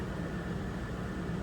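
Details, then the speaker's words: 2003 Ford Expedition 4.6L V8 at idle after replacing the coil pack for a P0302 cylinder 2 misfire, no codes in memory: low, even rumble with no skips or stumbles; the previously obvious misfire is no longer felt. "No, definitely it's a change. I don't feel it like I felt it before. Before it was pretty obvious."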